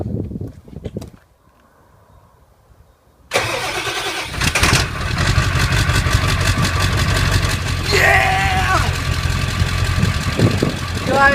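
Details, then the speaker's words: 1994–97 OBS 7.3 Powerstroke diesel on first start after a custom turbo downpipe replaced the crushed factory one: the starter churns briefly, then it settles into a rough but steady idle with a subdued exhaust note, sounding quieter than before. "just first impression of firing up it sounds like it's quieter running almost strangest thing ever"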